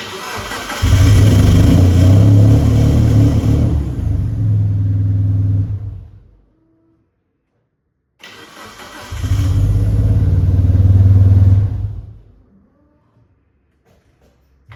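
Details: 1996 Mitsubishi Lancer Evolution IV fires and runs a few seconds then dies; a second start also fades after about four seconds, so it keeps stalling and cutting out with rough running.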